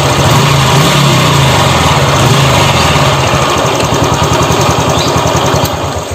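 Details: Honda Revo Fit fuel-injected single-cylinder, after the broken throttle-body idle air adjuster was replaced and reset, revved hard: rough, busy mechanical chatter over the exhaust bark from worn camshaft bearings, later replaced (6904 and 6001).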